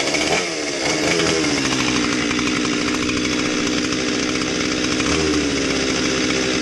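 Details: Husqvarna 257 chainsaw, customer's non-starter, first start after fuel line and trigger repair: fires and holds a steady, fast, high-pitched buzz without dropping to a low idle, running pretty fast at idle; high idle speed, cause unconfirmed.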